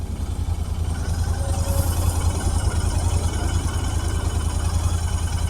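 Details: Royal Enfield Interceptor 650 at about 5000 km, just after its second service and wash: twin idling with an uneven stumbling misfire, suspected water around a spark plug from washing.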